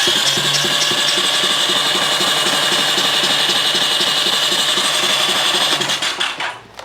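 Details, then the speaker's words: Honda CX500 twin after freeing a stuck engine and reassembling, cranking with palm over spark plug hole: fast starter whir with even pulsing about four times a second; normal cranking with compression. "Like I said, I can't put my finger over it, but I'll put my whole palm over it. So I can go through this one. Come on. Yeah. Sounds like compression."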